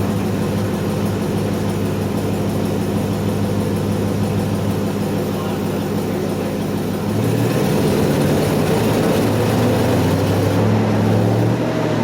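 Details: Chevy 1500 with 4.8 L V8 after replacing fuel injectors and cleaning the fuel rails, run after bumping the engine to build oil pressure. Steady, even V8 idle with a low, smooth rumble that lifts slightly, no miss or tick; normal idle.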